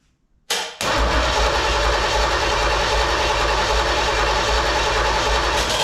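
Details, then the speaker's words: Chevrolet 305 H.O. engine that had been sitting, being pre-lubed before installation: starter cranks steadily with an even low chuff, three or four a second, turning over freely without firing; 60 lbs oil pressure made on the starter, normal cranking before first fire-up. "all right well we got good oil pressure made 60 lbs on the starter"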